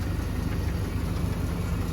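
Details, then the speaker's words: 1991 Toyota Celica GTS just off the trailer, smoking a little: fast even low knocking through a rough idle; owner says not rods or crank, suspects a loose water pump, unconfirmed. "that's the weird sound I was hearing like it's not rods it's not crank it's it sounds like the water pump but it is running I have no idea"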